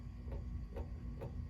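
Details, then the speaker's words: 36-inch Emerson Designer plastic 2-speed ceiling fan with good bearings: a soft knock about twice a second over a low motor hum. The banging comes from a switch housing bushing; replacement is planned only if the switch housing is ever serviced. "you can see it makes a little bit of a banging noise I am not really going to worry about that if I ever for whatever reason have to repair it or service something and take the switch housing off I will replace that bushing if I can manage to get one"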